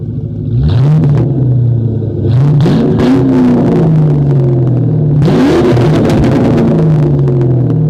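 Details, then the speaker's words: 1997 Mustang GT just fitted with SLP Loudmouth exhaust and BBK X-pipe, before the K&N cold air intake, started on a cold day: deep even V8 burble with clean throttle blips settling smoothly; no check engine lights, sounds right. "Let's listen to it just idle. It just sounds right, guys. Sounds right."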